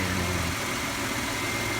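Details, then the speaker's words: 2006 Chevy Impala, running after sitting two years, after an engine detail: steady, even idle with a smooth low hum, no smoke, knocks, ticks or misses; healthy engine, one EVAP solenoid code stored. "And there is no smoke coming out. I swear to God, this car sounds like it's running it, too."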